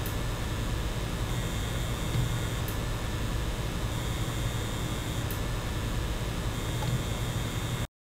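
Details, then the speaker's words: PlayStation 5, microphone 10 cm from console, game running with GPU under heavy load: steady fan rush with a thin, high buzzing tone; coil whine, louder at higher frame rates and graphical intensity, nearly gone in menus. "some other games will make the console wind louder when the graphical intensity is higher"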